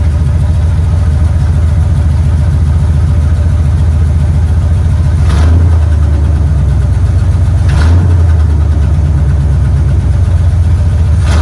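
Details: 1970 Chevrolet Impala V8, first run in four years on a battery charger: steady deep idle with a couple of brief throttle blips, settling back evenly each time; normal idle.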